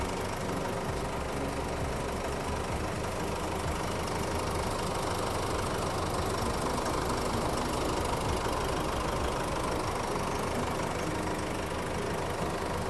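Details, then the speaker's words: Nissan Navara D40 diesel after a complete engine overhaul with a new genuine cylinder head, piston rings and bearings; even, steady idle clatter with no knocks or misses, sounding like a brand new engine. "just look at and just hear the sounds of the engine it's similar a brand new one"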